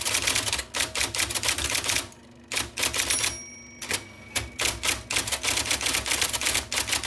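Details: 1979 IBM Selectric II (non-correcting), revived after fixing a miswired plug and cleaning and lubricating: crisp, even keystrokes at quick pace with brief pauses and a carriage return; normal typing.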